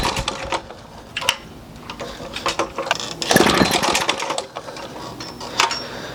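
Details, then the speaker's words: 1936 Johnson Seahorse 200 outboard, sat about 10 months, on choke, pull-started with throttle wide open: uneven bursts of firing dying within seconds; has spark but starves, not drawing its own fuel. "Try it on full, wide open. She still got spark. She's not running on her own fuel source. No bueno."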